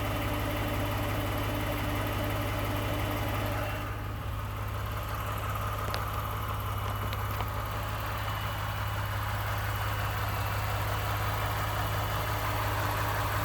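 Steady idle with a light, fairly regular tapping at nearly three per second over the low hum; a knock or rattle of unknown origin.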